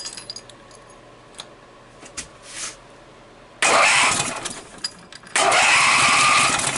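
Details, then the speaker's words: Briggs & Stratton opposed-twin with dual carburetors and dual exhaust, original coil refitted, likely flooded: two short bursts of brisk cranking with no firing; no spark because the ignition kill wire was still grounded. "again oh might help if I uh took my kill wire off of the ground there we go now let's see if it'll go"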